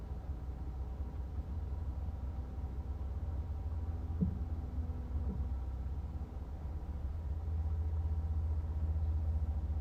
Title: 2024 Volkswagen Jetta SE | double knocking noise on idle at 35-45 second interval? Help! #vwjetta